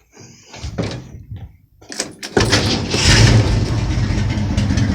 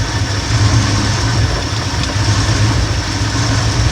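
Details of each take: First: 1971 Ford F100 302 small-block V8 with carburetor: after a door clunk it starts and idles slightly rough with an uneven, loping beat; idle mixture screws need adjusting, turning right leans the mixture. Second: 1971 Ford F100 302 small-block V8 after carburettor tuning and slight timing advance: deep, even idle with no stumble or hunting, then rev climbs cleanly; smooth idle.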